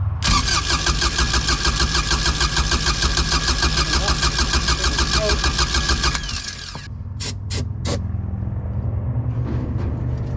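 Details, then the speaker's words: Kubota RTV900 diesel, long sitting, after new starter fitted: starter whirs briefly, engine catches and settles into steady even idle, starts fine; machine then won't move, transmission problem suspected. "Hey, it runs."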